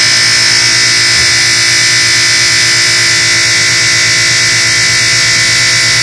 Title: Moffat dishwasher buzzing noise